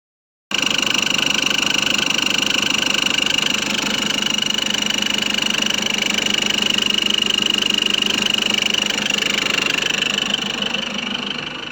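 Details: Nissan Patrol Y61 3.0 diesel at idle: a thin, steady high-pitched engine whistle over an even idle, never changing pitch; owner cannot locate the source, recorded before searching.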